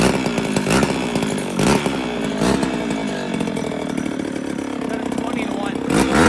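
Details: 1972 or 1973 Pioneer 1200A chainsaw, unrun for decades, after carburettor rebuild, new fuel lines and filter, original plug, two-stroke oil put down the plug hole: catches and keeps running with a buzzy, slightly uneven rasp swelling with throttle blips; running normally again.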